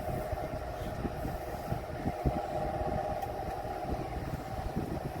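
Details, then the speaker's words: Curb-found Vornado Silver Swan Alchemy desk fan on medium speed: constant mid-pitched roar with scattered light rattles, sounding out of balance like a worn old industrial pedestal fan; loud worn-sounding fan noise. "This thing just sounds like an old industrial 30-inch pedestal fan it has seen constant use over years."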